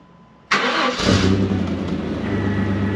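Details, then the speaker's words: Chevy S10 4.3 Vortec first start after a failed distributor was replaced: quick crank, catches in half a second and settles into a smooth, even idle with no popping or spitting; runs healthy. "see that my friends is a win you can hear running Smo got right the first time"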